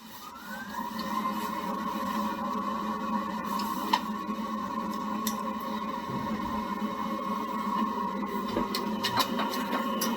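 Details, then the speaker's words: Water heater after main power is switched back on, with water and gas shut off before the vinegar heat-exchanger flush: rising whir into steady fan hum with clicks; it tries to start but cannot fire. "You'll hear it trying to start up, but it won't be able to. There's no water going to it, and the gas is off."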